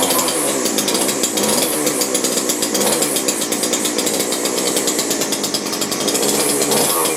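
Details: McCulloch two-stroke grass strimmer rescued from the tip, unused 5 years, revived and run with less choke: buzzes high and steady with a fast even crackle, holding speed without stumbling; running fine.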